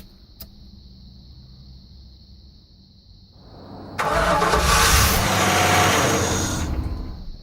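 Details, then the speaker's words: 1983 Buick LeSabre wagon with swapped LT1 V8, first start after swap: cranks, catches and revs briefly, then stalls; owner first blamed VATS bypass, but it turned out to be out of fuel (only about 1.5 gallons, fuel pump barely audible). "Keeps shutting off. That fucking VATS, that bypass thing must not be working."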